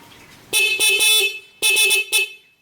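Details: Neo 125 scooter with newly installed dual horns, the original terminals rewired to feed the second horn: two groups of loud, clear, high-pitched toots held steady with no crackle; the horns work properly.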